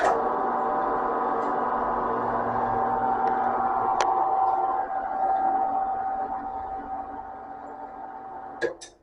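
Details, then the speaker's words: New Harbor Freight metal band saw, first power-on after assembly: even, steady hum, constant mid tone, no knocks or scraping, then clean wind-down; runs smoothly. "has an automatic shut-off when it goes down into place. Okay, that's running pretty smooth."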